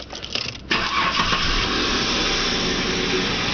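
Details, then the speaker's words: 1997 Holden VS V6 multipoint EFI with GM cold air intake: brief crank, then the engine catches cleanly and settles straight into a steady, even idle with no misses; runs well. "This thing actually runs pretty well."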